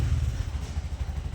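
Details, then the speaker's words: Bajaj CNG BS6 single-plug engine after idle cable adjustment: low, steady thumping beat holding an even idle with no hunting or stalling; idle holds correctly with no sensor fitted. "ಆ ಗಾಡಿ ಹೈಡ್ಲಿಂಗಲ್ಲಿ ಇದೆ, ಏನೂ ಮಾಡಿಲ್ಲ, ಯಾವುದು sensor ಹಾಕಿಲ್ಲ, ಏನೂ ಹಾಕಿಲ್ಲ. ಹೈಡ್ಲಿಂಗ್ ಕರೆಕ್ಟಾಗಿ ನಿಂತ್ಕೊಳ್ತಾ ಇದೆ."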